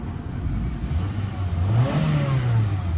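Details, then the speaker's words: Auction vehicle with the check engine light on, temperature coming up: engine pulls smoothly into a clean rising rev and settles back without knocks, misses or rattles, then restarts fine; normal rev. "Engine sounds good."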